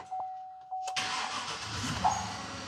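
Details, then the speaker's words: Chevy Silverado Z71 that was fully submerged in a lake and frozen, now rebuilt with cheap used parts: first key turn. A short chime, then the engine catches and settles straight into a quiet, even idle hum, with a slight shake noted. Normal start. "Is it running? It's running. Oh my gosh. It's so quiet. I wasn't even sure if it was running."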